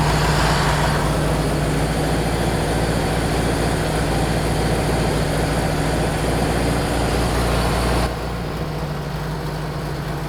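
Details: Rebuilt Model T speedster four-cylinder on first start after the radiator was fitted, timing checked and 4 quarts of oil added: lumpy, uneven chuffing at idle, beat dropping out like a dead cylinder, sounds like three cylinders; misfire, cause unknown.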